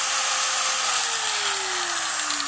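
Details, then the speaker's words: Hitachi angle grinder after armature repair, previously growling and sparking: steady, clean high whir with a smooth tone easing down in pitch, no rasp or crackle; no brush sparking, motor back to normal. "ini bersih tidak ada percikan bunga api pada brosnya mesin kembali normal suaranya halus dan bisa dikerjakan seperti biasanya"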